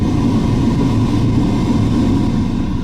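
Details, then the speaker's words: Dodge Dart heater blower motor after replacing the failing fan motor. It gives a steady, even whoosh with a low hum and no rattle, tick or squeal. It is now faintly audible on speeds 1–2 and loud on 5; before, it couldn't be heard on 1 and 2. Normal blower operation. "Before you couldn't hear it on 1 and 2. You can kind of hear it working now, and really hear it on number 5. So I just think the fan was bad."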